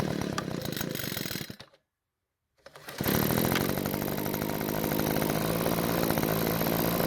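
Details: Backpack blower two-stroke on a test run after carburetor reassembly with the check valves deliberately not parallel: drops out, restarts, then holds a flat, strained drone that never reaches full speed, showing bogging from misaligned check valves.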